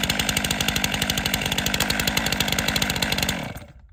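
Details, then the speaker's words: Chainsaw leg-lock start with chain brake engaged: quick pull catches into fast even two-stroke buzz with crisp regular firing, then dies away cleanly; normal start and run. "leg lock chain breake engaged immobilized the front of my left knee behind my right knee pulling in the orientation of the starter cord"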